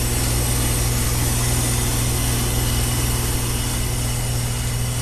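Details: Fairly new high-efficiency XP5 heat pump: steady compressor and fan hum with a faint continuous hiss from a reversing valve leaking internally, about 12° suction temperature rise to the compressor; valve to be replaced.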